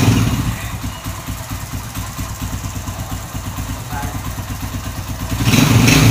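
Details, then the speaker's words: Honda Win Detech 110 four-stroke, after one year and about 3,900 km, at idle: light rapid ticking about four per second over the putt, a cam chain noise; owner plans a cam chain replacement. "Máy đang nổ galanti nè nhưng mà bạn nghe là nó có cái tiếng là nó kêu sên cam đó thì chạy lâu là là nó kêu thôi các bạn thì xe bốn thì mà"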